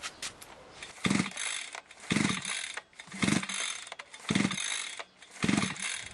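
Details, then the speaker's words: Limex 524BA brushcutter that worked well but recently stopped starting and ran intermittently. Primed, choke closed, ignition on. Five recoil pulls give short rasping spins with no firing. The plug was dry, so no fuel is arriving. "cô ấy làm việc rất tốt nhưng mới đây ngừng khởi động và bắt đầu làm việc không liên tục."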